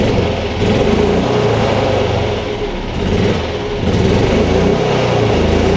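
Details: Yamaha G29 golf cart engine right after fitting a new stop switch in place of the faulty one: it catches and keeps running with a steady chugging beat that swells slightly with throttle; it starts and runs normally.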